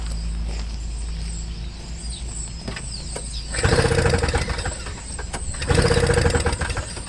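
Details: Toro Snow Commander snowblower with a flooding carburetor, running only on sprayed carb cleaner from a near-empty can: two short bursts of ragged firing that die within a second each, fuel starvation at the carburetor, which is to come off.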